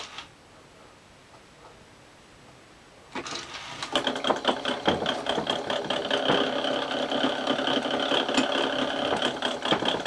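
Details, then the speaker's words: circa 1982 Panasonic NV366 top-loading 4-head VHS recorder, with a replacement idler tyre slightly too wide for its groove (later trimmed): mechanism starts, then fast uneven knocking about twice a second over the whirr; grips but knocks constantly. "Got plenty of grip, but it's just like knocking all the time, isn't it?"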